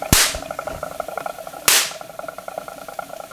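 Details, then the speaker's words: Homebuilt Wimshurst electrostatic machine, one electrode ball thought slightly oversized: two sharp, loud cracks about one and a half seconds apart over faint whir; normal, healthy spark discharge. "I really do think that ball is slightly oversized. It's working good now though."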